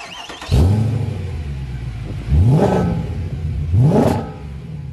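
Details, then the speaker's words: W204 C63 AMG V8 with long-tube headers, sport cats, new mid and rear silencers, recorded outside: three hard revs with boomy droning exhaust; mid silencer vibrating, fixed by welding vibration damper and refitting stock rear silencers. "they welded a vibration dampener to the mid silencer so it stopped vibrating and making noises"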